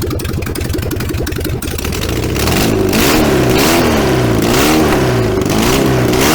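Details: VW 1303S Beetle, rebuilt 1915cc engine, first run after timing corrected, no exhaust fitted: loud raw open-pipe running, even firing with repeated blips up and down in pitch; strong healthy idle and revving.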